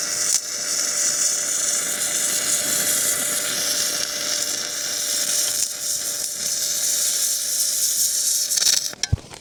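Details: MIG weld on a gouged, cleaned farm repair joint, quite a hot weld with plenty of material; steady, even, fine crackle like frying bacon throughout, the sound of a good weld with correct settings.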